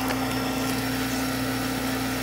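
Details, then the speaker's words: Miller oil furnace in a trailer home on a no-heat call, with the purge button held through the purge cycle: steady mid-pitched motor hum with a faint rough hiss; the technician finds air in the burner fuel pump, which needs purging. "there's air in the pump all right so once we start it i'm going to hit this and i'll go through a purge cycle it'll give me time to purge this this this pump"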